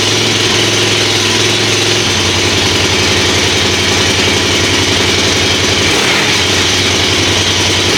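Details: Kawasaki KFX400 single-cylinder quad after a winter outdoors and service with new carburetor, cable and oil change, choked start: smooth even idle with steady firing pulses, no knocks or misses; runs healthy.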